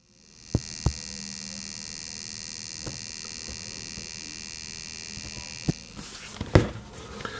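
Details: IKEA Sjöss 30W USB-C charger plugged in with no cable or device, microphone on the case: steady faint hum with a high whine; the 45W model is silent, cause unknown.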